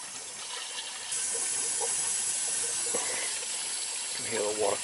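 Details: Weak, uneven water hiss with sputters as air is purged from a well-fed hydronic heating system with low fill pressure, after replacing a Taco zone valve that was not shutting off; flow sounds weak.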